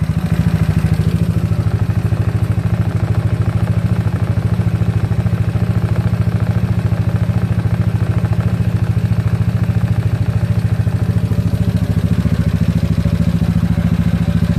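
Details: GY6 scooter idle being set around 1450–1500 rpm: even, steady idle with a quick regular pulse and no hunting; settled.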